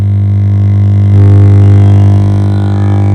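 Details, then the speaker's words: Home theatre amplifier on 220 V AC through a series bulb: steady low mains hum from both speakers from power-on; amplifier hum. "देखिए, जब मैं on किया, इसका अंदर से humming sound आ रहा है।"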